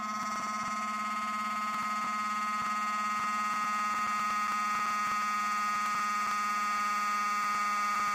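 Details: Loud steady electrical buzz with a high pure tone and regular ticking from a 24-segment magnetic core; the nanocrystalline shims oscillate with the magnetic flux, and segment design changes are amplified 24 times.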